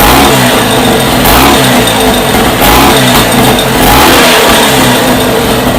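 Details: First startup of a freshly rebuilt Scott two-stroke motorcycle engine, heavily oiled with the pilgrim pump checked: crisp, even firing that rises and falls cleanly with the throttle, no knocks. It sounds healthy and lovely.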